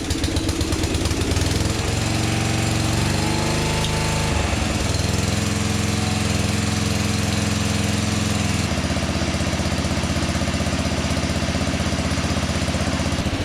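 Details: 1982 LongLife 36-inch lawn tractor, barn find sat for years, first start on jumper cables: revs up unevenly then steady lumpy run.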